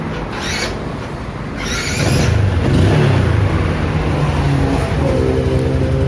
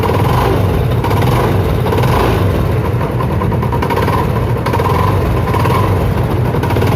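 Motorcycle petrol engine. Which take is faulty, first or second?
second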